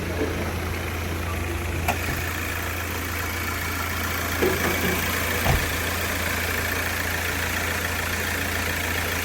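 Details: Hyundai Creta diesel that came in with knocking, white smoke and starting trouble after earlier engine work elsewhere, now running after engine timing was reset; an even, steady idle with a smooth low drone and no knocking or misses, healthy and settled.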